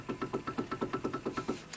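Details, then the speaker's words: Hyundai Accent raised on a jack, wheel rocked by hand: quick, evenly spaced light clunks about eight a second; loose worn outer tie rod end, shocks fine, causing the car to shake; to be replaced. "The reason why it's moving is because the tie rod end is loose. Watch this. Watch when I move it. Hear it?"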